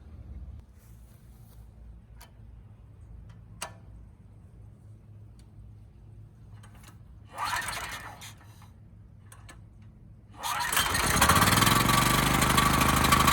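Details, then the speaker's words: Homelite HG5000 generator engine on temporary fuel line, before stator/rotor replacement for no power output: fires at once and settles into a steady, even run with no misses or knocks; engine healthy. "okay it runs pretty well there"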